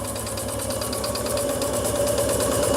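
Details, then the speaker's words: Microcosme 3.7 cc steam engine on an RC live-steam tug, after rebuilding the gas circuit following a fire. Double-membrane regulator, slightly smoky. Even chuffs three to four per second with steady burner hiss and a faint tone. Normal running. "la chauffe est redevenue beaucoup plus efficace, puisque là aussi, j'ai le double membrane régulateur, encore une fois, de chez Microcosme."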